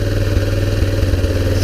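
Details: 2001 Kawasaki Bayou 300 after cam/crank timing was readjusted: small single thumps at idle, the beat stumbling and surging unevenly; the idle is still unstable and the owner plans to check for an intake vacuum leak; rough idle, cause unconfirmed.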